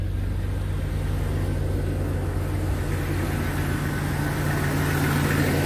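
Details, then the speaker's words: Jeep XJ 4.0 inline-six just after new fuel injectors and a fuel-rail heat shield were fitted: a steady, even idle with no stumbles or misses. "seems to be running smooth no noticeable misses"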